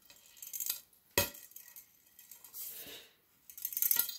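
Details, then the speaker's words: Fluorescent tube recovered from a recycling bin, with its base looking compressed, tipped by hand: a few light glassy clinks each time, as if a small loose piece is sliding inside. Cause suspected, not confirmed. "Il y a un truc qui se balade dans le tube et c'est pas très encourageant quand même."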